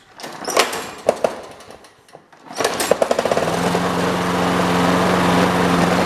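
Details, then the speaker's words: Trash-picked Toro Super Recycler push mower with Personal Pace self-propel, year unknown, first start test without the air filter assembly: it catches and settles into a steady run with a hard rattling buzz over the engine note, engine loose on its deck mounts and needing tightening. "before I do anything, I should sharpen that blade, and I really should tighten down that engine."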